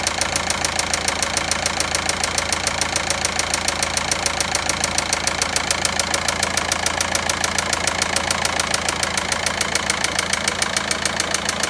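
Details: VW Passat 1.9 diesel at idle: sharp, very regular metallic ticking about three or four a second, standing out over the diesel clatter; engine knocking noise, source undetermined.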